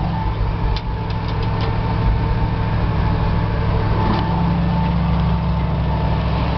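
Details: At about 210,600 miles, cold start with choke pulled and gas pedal held while cranking: low, even rumble with no misses, knocks or stumbles, settling to a smooth run; normal cold start.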